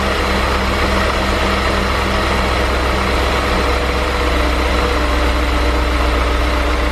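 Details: 2003 BMW E39 M5, S62 V8, mostly stock with stock exhaust, not a completely cold start: smooth, even low rumble at idle, steady and quiet with no rattle or tick; owner hears pretty much no VANOS noise. Normal idle.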